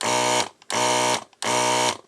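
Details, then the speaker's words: ZD-915 desoldering station after fan replacement, vacuum pump not yet screwed down so louder than normal. Three short, even buzzing pump bursts about half a second each with clean stops; the pump pulls crisply and runs normally. "yeah seems to work nicely and the pump of course is not screwed down so it's a bit louder than normal this seems to do what it's supposed to do"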